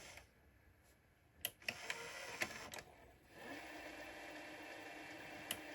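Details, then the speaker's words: 1980s National Panasonic NV-430 VHS deck, first power-up after years in an attic, with its belt looking tight: scattered clicks and screeching, then a faint steady whir as it fast-forwards extremely slowly; cause unclear. "Ooh, screeching like... Oh, wow. I wonder what it's this noise here."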